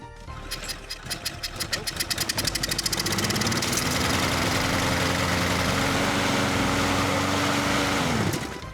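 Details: Troy-Bilt push mower that would not start, now after carburetor removal and cleaning: pull-start chuffs build into a steady, even single-cylinder drone that holds speed, then cuts off cleanly. It is running healthy.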